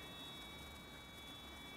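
A faint, steady high-pitched beep holds over a quiet background: the tester reads continuity, so the boost switch is closed.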